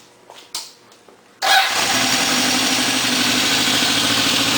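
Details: Restored 1972 Honda CB750 K2 Four on temporary gas tank with four new exhausts: cranks briefly, catches at once and settles into a smooth, even idle with a crisp exhaust note; healthy engine.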